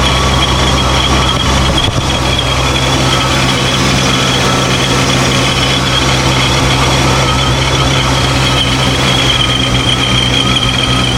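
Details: Dodge Charger Scat Pack 426 with ProCharger supercharger after fixing a boost leak (previously only about 2 psi boost), freshly charged batteries: steady loud engine note with supercharger whine, even and unbroken, no flutter or hiss; running normally.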